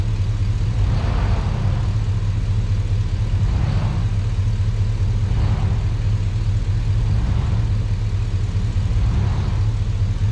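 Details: Truck after sitting a while, in cold weather: low, steady V8 idle holding an even beat with no stumble; a normal idle.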